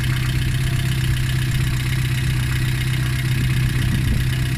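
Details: VAZ 2114 1.6 8-valve running at idle during a cooling-system flush with citric acid and water, alternator belt removed: a fast, fairly even knock of about four per second over the drone. Owner suspects the water pump; unconfirmed.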